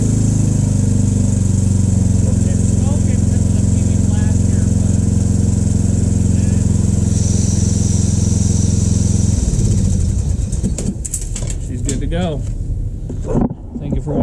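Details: Ariens riding mower with Briggs 17.5HP engine, carburetor cleaned, after sitting overnight with no leaks: steady, even single-cylinder beat for about nine seconds before shutdown; starts and runs cleanly.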